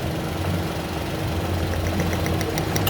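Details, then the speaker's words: Toyota Wigo with stalling and unstable idle (about 900 rpm, aircon on, no check-engine light); the scanner pointed to an injector; quick, even ticking over the idle when the injector is touched means it is clicking normally and working. "so dito sa injector kakamayin niyo lang may pumipitik pitik nian diyan malaman niyo sa injector may mag pipitik diyan kasi yung sinabi sa scanner is injector e"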